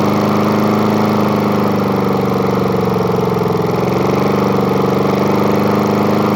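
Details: Murray lawn mower with spare replacement engine, started after repeated priming: loud steady single-cylinder putter at constant speed with no misses or knocks; running fine.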